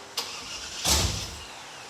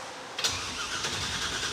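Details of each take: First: Roadkill project car, primed: short cranking bursts with brief catches, then a ragged run; crank no start from fuel starvation, thought to be the mechanical fuel pump not picking up gasoline because of a subtle air leak at the fuel filter. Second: Roadkill project car after replacing a starter that stayed engaged with the flywheel, now fitted with a starter for a 97 Camaro: sharp engagement then steady, even cranking whir with no grinding or clicking; normal starter cranking.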